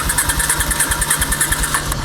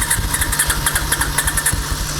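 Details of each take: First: Honda sidecar motorcycle restarted after cooling down at a car wash following a wash: quick uneven putter that fades and dies shortly after catching; it stalls because the cooled engine wants starting enrichment (choke). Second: Honda sidecar motorcycle restarted cooled down after a car wash, using starting enrichment (choke): it catches with uneven pulsing for a couple of seconds, then settles into a steady low idle; everything works.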